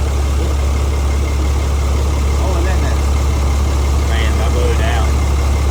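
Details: 2008 Cummins diesel with a fresh engine at first startup, 70 psi oil pressure: deep, smooth, even idle with a steady low drone and no knocks or ticks, running healthy.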